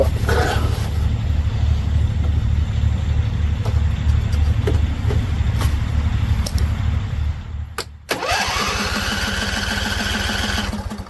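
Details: Husqvarna Z254 mower in neutral, first start after a PTO clutch and pulley install and weeks unused. Slow, uneven cranking with a few pops, then it catches and runs rough; owner thinks it is flooded.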